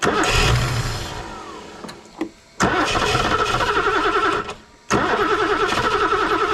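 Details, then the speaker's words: BMW E9 3.0 CSi barn find, first start attempt in over 20 years. Engine catches while cranking, then dies within seconds once cranking stops. Owner suspects spark is lost when the starter is released; unconfirmed. "I'll tell you what it is the when the moment I undo the starter the ignition cuts out uh so the moment I get the starter off the ignition goes"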